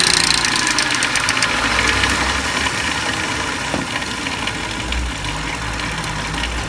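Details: 2004 Lincoln Navigator V8 idling with a light, busy metallic clatter on top: timing chain noise.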